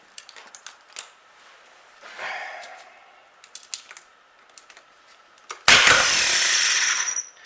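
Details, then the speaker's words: 1938 Buick Special starter motor, no-crank complaint, bench-tested through the series-parallel switch: spins about a second and a half with a harsh gritty whir; suspected worn bearings or bushing, brushes nearly gone. "It sounds terrible, the bearings, or the bushing. And I've also noticed the brushes are just, well, they're not really there anymore."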